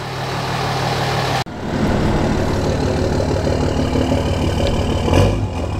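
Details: Cummins diesel truck with straight pipe, no muffler: loud, raw idle with an open-pipe rumble and a brief rev near the end; runs evenly, just unmuffled.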